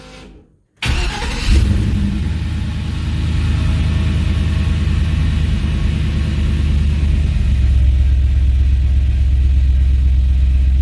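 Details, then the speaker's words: 1964 Chevrolet Impala with an LS swap and a new intake, first start in a while near the end of restoration: cranks briefly, fires right up and settles into a steady, even V8 idle with a deep burble; normal. "let's start it up you guys haven't heard it in a while the dash is in yeah it does sound a little different with this intake"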